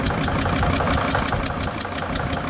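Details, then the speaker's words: Freightliner van, Mercedes five-cylinder diesel, number five injector bolt stripped and temporarily held: lumpy uneven idle with a sharp steady tick; fuel spray stopped but compression still leaks, running on four cylinders. "We've been able to get that cylinder to stop spraying fuel everywhere. So, that's a positive. But, it's running on five cylinders."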